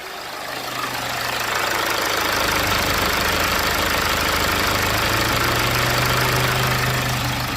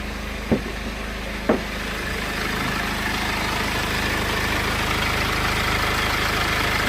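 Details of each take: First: 2008 BMW E60 520d diesel, idling warm after limp-mode and high-temperature complaints: the radiator fan runs constantly with a loud rush that speeds up and slows, rising near 106 degrees as the reading fluctuates; a faulty temperature sensor is suspected. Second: 2008 BMW E60 520d diesel with limp mode and a constantly running radiator fan, warm at about 87°C after hard driving: even idle clatter with no fan rush; the fan stays off and the engine sounds healthy.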